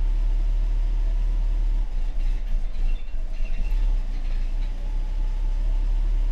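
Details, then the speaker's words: Mercedes-Benz W126 560SEC with a hard-starting fuel problem (check valves suspected), in-car at idle: low rumble falters and dips unevenly when the throttle is pressed, then recovers. Hesitation on acceleration. "so when I push my pad foot on the pedal pedal pedal she's she's not liking that at all"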